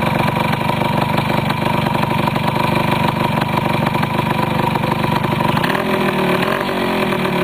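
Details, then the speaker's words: Restored 1973 Yamaha CT175 two-stroke with rebuilt carburetor, just started: crisp, even idle with steady buzzing beat, no misses or rattles; runs clean and healthy. "we'll do a quick start let you listen to it for a minute this is one of my better starting machines in my house I don't think I've got anything that starts as well as this does"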